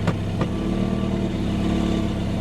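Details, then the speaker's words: Chevy Tahoe at auction yard, 191,000 miles, traction control and airbag lights on: loud raspy rumble while revving with a couple of sharp puffs early; obvious exhaust leak, suspected leaking flex pipe, unconfirmed. "And it sounds like it's got a crazy exhaust leak. Yeah, it's definitely an exhaust leak. Sounds like it's a flex pipe that's leaking."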